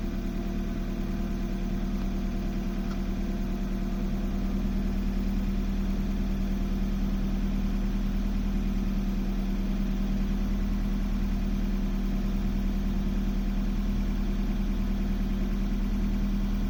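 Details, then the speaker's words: BMW E36 318is after an M42B18 engine swap: idle becomes uneven and lumpy after about a minute of running fine; it hesitates with a little throttle and stumbles and almost dies with more throttle, a misfire. "If I give it a little bit of throttle, it hesitates, but comes up. If I give it too much throttle, it just hesitates and stumbles and almost dies."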